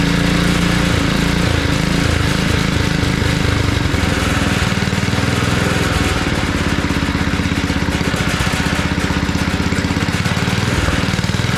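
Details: Abandoned tiller, first run on two-cycle gas while leaking fuel: rough, uneven popping that surges instead of holding steady revs. It revs only on choke, so the carburetor is clogged.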